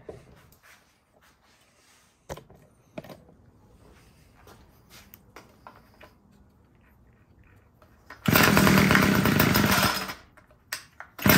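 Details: Homelite two-stroke string trimmer that would not start, run after richening the low-speed mixture screw because it seemed to run out of gas. Quiet clicks, then it fires and screams at high revs for about two seconds before dropping off; result unclear.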